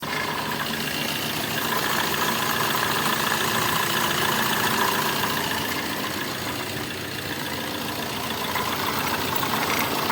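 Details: Tata Manza with a weird engine-like noise actually from a worn axle (wheel) bearing: steady rushing hum with faint whirring tone; fixed.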